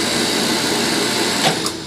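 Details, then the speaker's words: Motor pump (pump 2) after repair, replaced leaking part that was seeping oil, tested on manual then auto: steady even high-pitched whir, no knocking or rattling; normal pump motor running. "Gumana na po siya."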